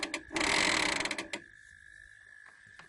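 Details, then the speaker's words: 12V electric hay-trailer winch powered from car's battery, tested via remote controller button: about a second of steady, even motor whir with high whine, starting and stopping cleanly; normal winch operation. "just to test that you've got power, you just press this button here and you can hear the winch going."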